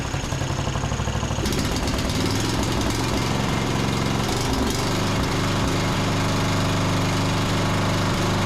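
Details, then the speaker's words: John Deere D110 riding mower after tightening spark plug and richening carburetor, no load: small single-cylinder idles with a quick, fairly even putter, idles down with no surging, spitting or stumbling; running cleanly. "But so far that sounds pretty good. I mean, it idles down and everything. There's no surging."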